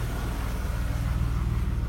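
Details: 1995 BMW E36 320i automatic, M52B20 engine, after a tensioner replacement: smooth, even low idle with the former ticking on acceleration gone. Only a slight noise remains from one or two hydraulic valve lifters, so a normal idle.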